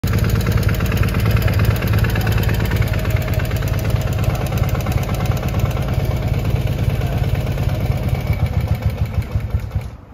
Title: R100GS idle problem